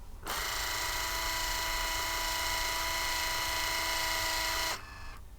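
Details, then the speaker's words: Vauxhall Cavalier, headlamp levelling switch turned from 3 back to 0: steady, smooth electric motor whine for about 4.5 s, then a clean stop; levelling motors running freely. "And I can hear them moving absolutely fine."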